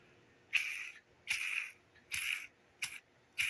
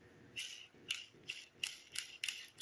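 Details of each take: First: Cheap roller lifter for a 1973 Camaro LT1 build, cleaned with xylene, spun by hand: repeated short gritty high-pitched rasps, inconsistent and noisier than the smooth control lifters; roller bearing still sticking. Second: Roller lifter from a 73 Camaro LT1 build, a cleaned control unit spun by hand with a fan running in the background: soft even whirr with no grit or catching; a healthy lifter roller bearing.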